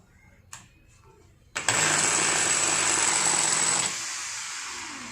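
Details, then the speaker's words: Makita 9553NB 4-inch angle grinder, run directly after series-bulb test glowed fully (short suspected): harsh loud high-pitched whine and rough buzz; burnt armature. "तो आप देख सकते हैं कि machine में बहुत ही ज़्यादा आवाज़ आ रही है। तो चलिए इसको खोल करके चेक करते हैं कि इसके अंदर क्या फॉल्ट है।"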